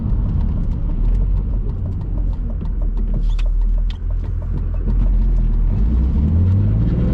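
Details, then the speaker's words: BMW E46 with M52 engine, new headers and a part off an X3, driving and lifting off from higher rpm at low speed: deep, even exhaust rumble through rev and lift-off with no crackle or popping on overrun; earlier popping gone, slightly louder than stock. "see the little poppy thing's gone all right so it's definitely a little more spicy than it was before I did all this but I'm not upset about it"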